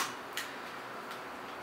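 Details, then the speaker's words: Mirage Sun toy film camera: after pressing the rewind button underneath, lifting the lever and turning clockwise, faint dry ticks about 0.75 s apart in a quiet room; normal film rewind ratchet clicking. "Então aperta aqui embaixo, levanta a alavanca aqui e começa a rodar no sentido horário. Vai fazer esse barulhinho mesmo, para vocês verem como que é lá dentro."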